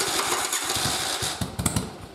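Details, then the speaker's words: Twin converted to a single carburetor with stock 122 main and 41 pilot jets, cranked with choke off: starter cranks with a few weak catches that never build into a run; too little fuel, mixture far too lean. "but it just won't stay running there's just not enough fuel"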